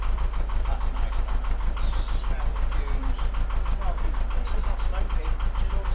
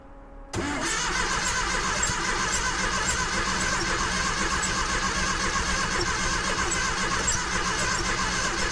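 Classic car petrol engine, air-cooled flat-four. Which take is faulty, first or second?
second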